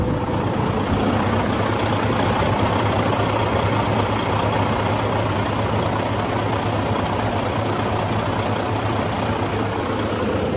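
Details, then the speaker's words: 2012 Western Star 4900FA truck with a replacement diesel engine, idling: steady, even idle with a light, loose rattle on top. Probably a loose part that needs some rubber to quiet it, not confirmed. "Got a bit of a rattle here. Probably have to put some rubber in there to quiet that down."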